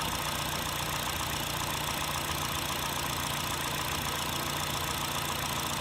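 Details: 2008 Honda Fit (Jazz) 1.5L, 120k miles, automatic non-CVT, valves adjusted, no oil use or check-engine light: light quick rattling tap at warm idle, absent when cold and at higher rpm. Owner suspects piston slap; cause unconfirmed.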